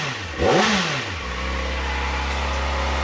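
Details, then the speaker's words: Kawasaki Ninja ZX-4RR, warm, on stock OEM exhaust before titanium swap: quick rev blip with a couple of small pops, settling to smooth even quiet idle, restricted-sounding; healthy. "Super quiet right now. Listen to that. It has a little pops. That's pretty sick. It feels really restricted and it's quiet."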